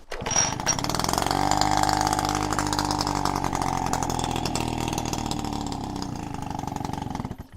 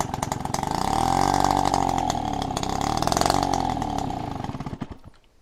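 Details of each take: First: Peugeot 103 RCX two-stroke moped, first start after rebuild, carburetor needle had been stuck with no fuel; fires on a manually pulled choke, then off choke the buzzy note sags and wavers unevenly before dying; engine faltering off choke. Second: Peugeot 103 RCX two-stroke moped first start after a rebuild, choke pulled manually by cable because the carburetor needle was stuck and fuel wasn't reaching it; buzzy engine catches and revs evenly on choke, then sags and dies. Normal running on choke.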